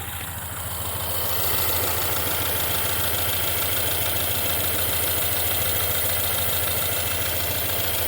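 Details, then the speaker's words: 2016 Ford Mustang 2.3 EcoBoost with a replacement engine, 128,572 miles, flashing check-engine misfire and heavy shaking: steady idle under a strong hissing rush from a cracked, reused intake pipe between air filter and turbo; intake air leak. "Also, turbo pipe. It's got a crack in it, which is this pipe. They reuse the intake, they reuse the turbo. You can hear that."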